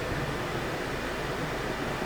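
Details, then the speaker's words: Range Rover Evoque blower fan that would not switch off, after diagnosis and resistor repair, set to full blast: steady, even rush of air with no rattle, squeal or ticking; normal blower operation. "So now it's fixed. Let's try it on. Now you can put the fan full blast."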